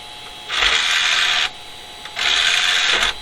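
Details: Old AT-power-supply PC with CD-ROM drive on first power-up: two short, even whirring motor runs about a second each as the tray ejects and returns smoothly; drive working normally.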